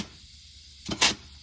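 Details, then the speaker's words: Dodge 68RFE transmission air test at 30 psi: a short, sharp rush of air as the overdrive and underdrive clutch pistons stroke and apply, engaging normally. "So, this is overdrive. You can see the clutch engaging. This is underdrive. Can hear it engaging."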